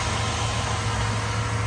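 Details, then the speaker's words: 1989 Land Rover Discovery 1 Rover V8 after recommissioning service (oil, spark plugs, air filter; distributor points checked): low, even burble with steady rhythm, no stumbles or misses; running much better than on arrival, normal idle. "that is running a lot better than it was when it first came came here I will say that it's amazing what just a little service can really do"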